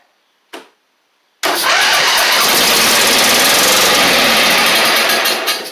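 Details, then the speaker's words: Husqvarna LGT2654 mower, Briggs V-twin, started after the carb jets were sprayed clear: it catches after a short crank and runs loud and rough with a lumpy beat. Running on one cylinder; possibly a pushrod or cylinder head issue. "Oh, it's definitely on one cylinder. At least right there."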